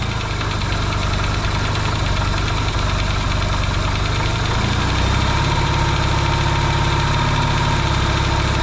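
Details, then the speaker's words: Yamaha XS650 twin, engine just reinstalled in frame after work to cure oil burning, first start: steady fairly even idle, low throbbing beat settling after a few seconds, no pinging or bangs; some smoke, owner hopes break-in. Normal idle. "and it's idling right off the B that's pretty cool nice and quiet not a lot of pings and bangs"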